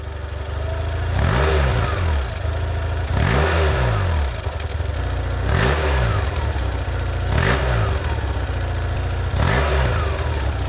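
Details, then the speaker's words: 2004 BMW R1150GS Adventure boxer twin, bought as a non-runner, after the starter was removed and reconnected: fires cleanly and is blipped up and down about every two seconds, revs rising and falling smoothly; runs fine. "But will it run? It runs!"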